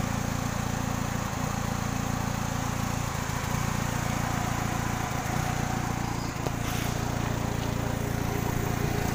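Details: 2000 Kia Sephia engine at idle; steady low drone with occasional dips and stumbles every couple of seconds, an uneven misfiring idle; cause suspected, not confirmed.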